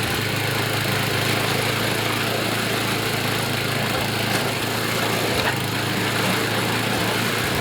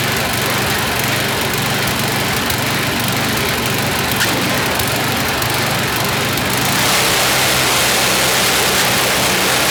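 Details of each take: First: YardMan snowblower after an auger belt fix, with idle and high rpm re-set: a steady, even small-engine drone at speed with no misses, surging or knocks. It runs smoothly. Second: YardMan snowblower small engine test-run after an auger belt fix. Holds a fast, busy drone with slight unevenness. Speed is set a bit too high and needs tuning by pulling back throttle; also slightly stumbly, idle circuit may need checking.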